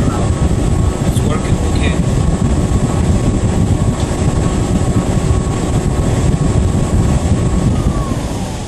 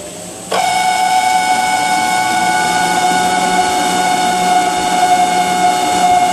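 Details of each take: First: Whirlpool ventless dryer, model YWHD3090GW, test run after replacing the motor for a customer's noise complaint: even low rumble with a steady whir, no grinding or rattling, then the tone sweeps down as it spins off; running quietly. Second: Whirlpool ventless dryer model YWHD3090GW: high, steady whine the moment the drain pump starts, holding pitch; impeller clear, nothing stuck, pump W11086537 worn and to be replaced; noisy failing drain pump.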